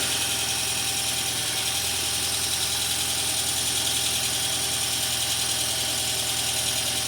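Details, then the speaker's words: 2002 VW Passat 1.8T wagon, first start after an engine swap in a car that had sat a while, oil change still pending: even idle with a light valvetrain clatter expected to quiet down. "Running pretty smooth, too, I'd say."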